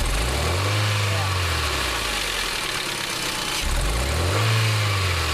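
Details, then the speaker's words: 2001 Hyundai Elantra, about 50K miles since last owned: two throttle blips with uneven stumbling note as revs load up, smooth when revved slowly; misfire from worn, over-gapped spark plugs. "when the plug start wearing out the gap on them goes out too far yeah because that little tit wears out that's right and it makes the Gap"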